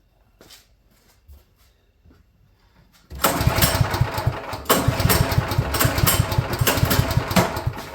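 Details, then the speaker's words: Champion generator, first start after sitting probably a couple of years, spark plug cleared, on choke: quiet pulls, then it catches and runs rough with sharp pops over a low chug; backfiring. "I got to be choking it. I don't know why it's backfiring."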